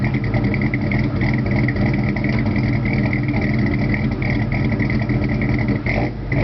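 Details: S15 with 2.8 V6 and dual-outlet Flowmaster 40 series Delta Flow exhaust; loud, uneven loping idle through a throaty exhaust, idling rough, cause not clear.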